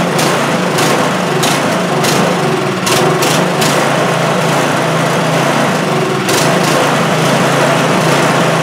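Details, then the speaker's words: Craftsman snowblower small engine, choke off and kept alive with the primer bulb: uneven, barely holding a run, won't run on its own or at higher throttle; suspected clogged carburetor starving it of fuel. "That's a lot of priming to keep it going. Yeah, and if I put it up too high, she doesn't seem to want to run. Yeah, guys, she doesn't want to run on her own here."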